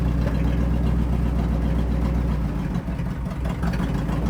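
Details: C60 Viking truck revived after 40 years, clutch bled, brakes not yet: low, steady purr with an even beat and no knocks or grinding; engine running smoothly.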